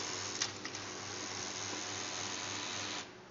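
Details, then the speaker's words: HP LaserJet Pro M402dn during a test print: steady rough grinding hiss through the whole print that stops when feeding ends, though prints come out fine. "এই দেখেন, ঘর ঘর শব্দ করতেছে, সব কিছু ঠিক আছে, কিন্তু শব্দটা আপনারা বুঝতে পারলেন কি জোরে একটা শব্দ করতেছে।"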